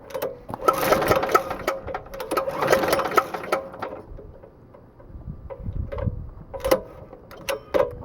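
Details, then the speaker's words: Diesel-engine air compressor build, first test with new pressure regulator: engine chugs in uneven bursts with shaking, juddering beat as the clutch vibrates and engages instantly even at very low rpm; grabbing, faulty clutch. "I don't know what's going on with that clutch but it like vibrates and starts engaging instantly Like You Hear It Go food it's vibrating and it locks up and engages instantly even if it's had really low RPM"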